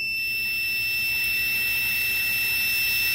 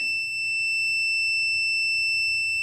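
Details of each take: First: Homemade boost leak tester checking an adjustable normally-closed pressure switch for boost cut: steady beeper over hissing air stops at 20 psi as the switch opens; the switch responds slowly and reconnects intermittently. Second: Home-built boost leak tester checking an adjustable normally-closed boost cut pressure switch: the beep keeps sounding nearly three seconds after a fast rise to 20 psi before cutting off around 18 psi, too sluggish a response.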